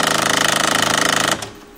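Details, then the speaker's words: HP Photosmart 5520 with lid switch bypassed: loud rapid ratcheting grind, about twenty clicks a second, then an abrupt stop as the carriage jams at the rear; sheared teeth on the service station rack, causing carriage jam errors. "okay now it's uh you can see it's jamming to the rear and it's grinding when it reaches the rear"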